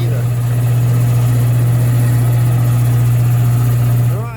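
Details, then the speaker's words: Old Worthington belt-drive shop air compressor after servicing, with cleaned makeshift air filter: strong steady low hum, even pitch, no belt slap or knocking; running smoothly, sounds better, slowly building pressure. "let's let it run oh it looks like it's all right sounds better sounds happier I don't see the belt slopped"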